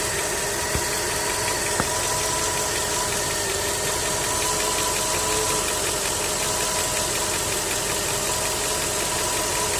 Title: Стук в двигателе, Skoda 1,6 BSF